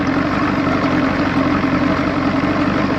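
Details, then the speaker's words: 1986 Johnson 90 hp SPL two-stroke outboard at idle in a water tub, hood on, after link-and-sync, ignition timing and carb returned to original; muffled, even buzzy hum with no misses or surging. Sounds quieter and good; owner suspects a weak fuel pump. "It's a lot quieter. Sounds good. I think that's what it really needs, a fuel pump."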